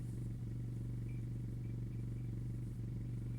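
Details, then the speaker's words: 2017 Kia Rio petrol engine idling in winter: a loose, uneven knocking rattle caused by snow and ice packed under the engine splash guard, cleared by removing the guard. "в двигателе кажется стучит не переживайте это зимняя разберу проблема всего лишь то забивается снег под двигатель для защиты где пыльник"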